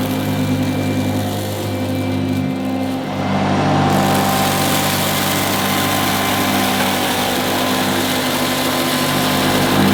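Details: 1977 Hoover Junior Deluxe upright vacuum: steady motor hum holding even pitch, no rattle or grinding; owner calls it the quietest Junior Deluxe/Starlight he's used; normal vacuum motor running.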